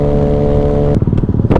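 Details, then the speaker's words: Honda Ruckus scooter under throttle while riding: steady note breaks into ragged, uneven pops and stumbles, a bad sputter; jet thought too big, limiting top speed. Tachometer reading erratically. "sputtering really bad can you hear it but that's that's the jet it's too big it's not even going as fast as it could"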